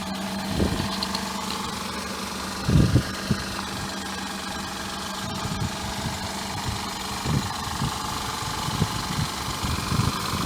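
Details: 2000 Mazda MPV 2.5 litre V6 idling with a low drone broken by irregular puffs and thumps: exhaust manifold leak plus engine misfire.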